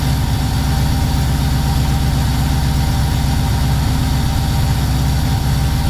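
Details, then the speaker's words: Freshly installed Subaru engine in a VW T3 Combi on its first start, coolant at 76 °C and warming: lumpy, uneven idle pulsing irregularly at about 160 beats a minute. It runs rough and far too rich, roughly 12.5, smoking black. "Je vais faire 12,5 en gros. Beaucoup trop riche."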